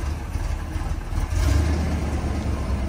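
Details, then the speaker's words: 1970 Chevrolet Corvette L46 350ci V8, four-speed manual, cold start idle: deep, even V8 burble with a brief blip settling back smoothly, no ticking, pinging or lifter noise; healthy idle. "'s quiet as you can hear you don't hear any uh any engine noise no pinging no lifters w battling"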